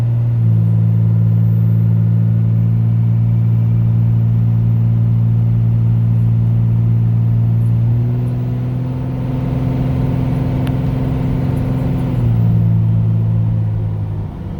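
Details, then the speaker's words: Turbocharged truck at a 400 RPM fast idle, smooth constant hum whose pitch shifts slightly for a few seconds then settles; converted A/C-compressor air compressor fed from the intake manifold charges the tank. Normal idle. "And the truck is idling at 400 RPM. A fast idle."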